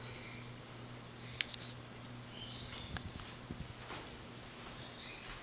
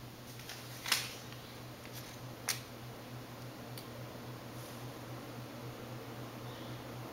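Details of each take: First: Restored 1984 Four Seasons Venair Seville 36-inch spinner ceiling fan on a new 3-speed wall control, running on low: a faint steady hum with light ticks and no wobble. It is much quieter than at higher speed, where it hums a lot. Normal operation. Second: Restored early-to-mid 1980s Four Seasons Venair Seville 36-inch spinner ceiling fan on a new 3-speed control, converted to ball-socket mounting: steady low motor hum, worse on high, amplified by the mounting; no wobble.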